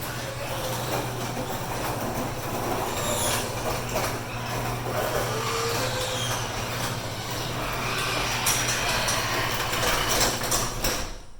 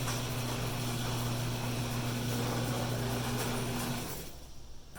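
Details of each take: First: 16x8 and 9x8 garage doors at a coastal Florida house with salt air: loud metallic grinding and squealing over steady opener hum as the door runs down, from dry, rusted hinges and rollers needing lubrication. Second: Coastal garage door opener after lubrication: smooth, steady motor hum with no squeaks or grinding, then it stops; before lubrication the door sounded grumpy.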